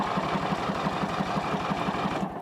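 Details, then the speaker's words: Snapper riding mower, partly reassembled after its starter was removed from under the heat shield, has the starter tested; a quick, even whirring chug at about six beats a second, no grinding or slipping, normal cranking. "well we've got it partially assembled I want to test that starter just to verify that it works now so let's see if it'll at least"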